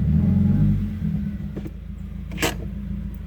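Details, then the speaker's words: Subaru WRX after resetting the ECU, rolling into a stop; engine rumble sags and hangs at very low RPM near stalling; cause unknown, happens after ECU reset. "Now let's see if it'll die on me when I come in here. Let's see. Look at that. Look at the RPMs, how they drop so low."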